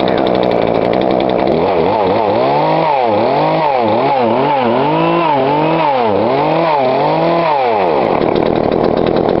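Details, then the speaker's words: Poulan Pro 42cc chainsaw, before adjusting the carb low screw: quick throttle surges, then the tone drops away as it stalls. Cause suspected, not confirmed. "See, that don't sound too bad, right? And see, it stalled out on me in a little bit."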